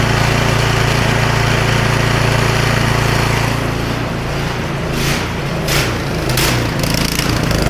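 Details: Snowblower small single-cylinder engine after smoke possibly from owner tipping it to drain gas, plug torqued in: steady even beat with no misses or stumbles; running properly.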